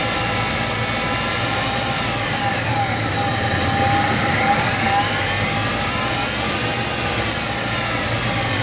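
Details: 1999 Chevrolet S10 2.2L with 86k miles at idle: a constant high, thin metallic chatter. The owner suspects timing chain rattle and asks whether the timing set needs replacing; not confirmed.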